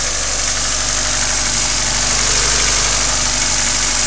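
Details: Honda EF sedan D15 petrol engine idling with quick, light repetitive tapping over steady hum; knock or lifter tick suspected, not confirmed.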